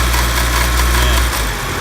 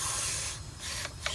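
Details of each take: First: R32 Nissan Skyline with SR20DET swap, after timing was checked and set: smooth, steady idle with only a gentle rise and fall, no knocks or misses; the engine is running healthy. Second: R32 Nissan Skyline SR20DET boost leak test, intake pressurized to about 12 psi through the turbo with a homemade tester: a steady loud hiss of escaping air that fades and pulses as it bleeds off; a small boost leak in the intake.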